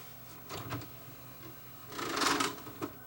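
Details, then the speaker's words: Yamaha DVD-S2700 Super Audio CD player with the tray opening: a few short, dry clatters and a brief grinding rattle. Buttons don't appear to work and are stiff; a binding or loose tray mechanism is suspected, not confirmed. "oh yeah I think that might be the problem watch the tray and the buttons don't appear to work"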